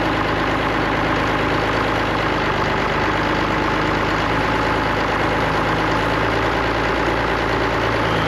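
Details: Allis-Chalmers diesel tractor just started after cracking injectors, running the electric fill pump, heat and ether: settles into an even, steady idle with smooth clatter and no misses or knocks; sounds healthy.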